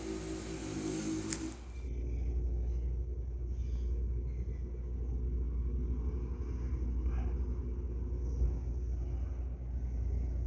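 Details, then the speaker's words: Fiat Palio Fire Evo 1.4 after oil-pressure warning and engine noise, fixed by replacing the clogged oil pickup screen and cleaning the sump, at operating temperature: steady, even low idle with no knocking or ticking; oil warning gone, healthy. "agora ele já tá em temperatura de trabalho não aparece mais a mensagem de pressão de óleo apesar de ter ficado na mínima o motor já não produz mais barulho e nem aparece a mensagem no painel"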